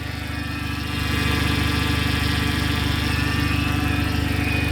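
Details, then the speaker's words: Turbo PT Cruiser GT at idle just after refilling the empty power steering reservoir: thin insect-like whine over an even pulse, likely the power steering pump; steering partly restored but still sounds terrible. "sounds great it still sounds a little bit terrible but that's all right we'll be fine don't need power steering at least we got some power steering it's a start"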